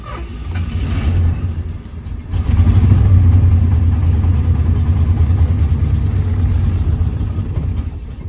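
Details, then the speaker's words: 1977 Lincoln Continental Mark V after three years in storage, new battery, known vacuum and exhaust leaks, fuel filter still empty: starter churns, pauses, engine catches briefly and runs rough; crank no-start from fuel starvation. "So right now I do notice that the fuel filter is still empty, so it's still not sucking gas into the fuel filter yet, but I know at one point it was working, so I think just got to give it a little bit more time."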